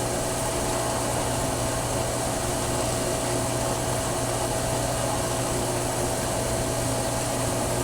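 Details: Pool booster pump (PV4SQ) just switched on: steady, loud motor drone with a constant hum and faint high whine. Owner had heard a squeaking noise and suspects the pump, cause unconfirmed.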